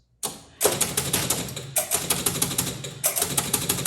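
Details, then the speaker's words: 1976 Bally Flip Flop electromechanical pinball: repeating bursts of sharp relay clacks and stepping reels about every 1.2 seconds; a score-reel reset loop because one score reel stays at one thousand and won't return to zero. "So, we're stuck in this endless loop of the machine trying to reset. Now, why is that? Well, it's because it's trying to reset all of the score reels back to zero so the machine can start."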